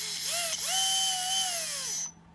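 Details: Traxxas RC car throttle test after installing and linking a new TQ receiver to the ESC: a short electric whine climbs in pitch, holds, then winds down cleanly with an even gear buzz; motor and drive run properly.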